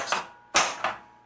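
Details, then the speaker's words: Williams Elvira and the Party Monsters pinball flippers after replacing incorrect parts (coil stop, C-11626 rebuild kit mechanism), previously dull thunk and buzzing: three crisp sharp metal snaps, no buzz while held; flippers working cleanly. "that's a lot better they feel really crisp and they're not buzzing anymore either the flippers feel and sound much better now"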